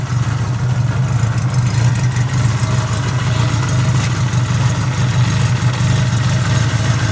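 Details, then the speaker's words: 1975 Honda CB550 four-cylinder motorcycle fired up and idling: steady, even low rumble with no misses, knocks or hunting; a smooth, healthy idle that runs really good. "Alright. This runs really good."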